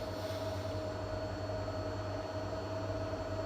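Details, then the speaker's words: Seat Ibiza Cupra Bocanegra 7-speed DSG after clutch replacement, during basic settings/clutch adaptation: engine idles evenly under constant whirring hum from mechatronic and gearbox; normal noise. "you will hear the mechatronic and the gearbox will make some noise, so that's absolutely normal."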